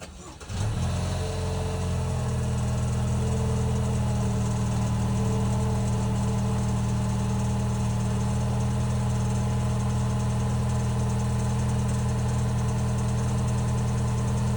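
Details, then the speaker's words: 2022 Lexus NX 350 turbo, cold start: engine settles to steady idle with a faint fast ticking, the same tick heard when coasting off the gas down to about 20 km/h; dealer likened it to a blow-off valve, cause unconfirmed. "nel you'll hear like a click in or ticking sound and this happens when you let off the gas and continues on until you hit about 20 km an hour or so"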